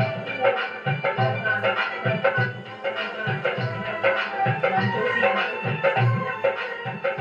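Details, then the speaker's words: Stranger PBT701 amplifier after shorting check, playing MP3 music through a connected speaker at raised volume: loud, full output with no hum, crackle or distortion; clean amplifier output, ready. "तो दोस्तों आवाज़ इसका बिल्कुल साफ़ है, बिल्कुल clean आवाज़ है, कुछ भी दिक्कत नहीं है।"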